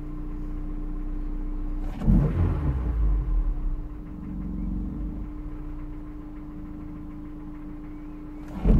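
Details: Honda S2000, petrol, five minutes after a cold start, suspected rod knock: steady idle, then a quick throttle blip, and the revs sag below normal idle before settling; owner blames a dodgy idle air control valve. Check engine light is from an unsuitable sports cat.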